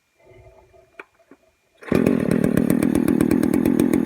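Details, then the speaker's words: Poulan 4218A chainsaw revving after a muffler mod with the cover refitted: blubbery, uneven two-stroke firing beat showing it runs too rich; carb needs retuning to lean it out. "you can totally hear it's running running rich now"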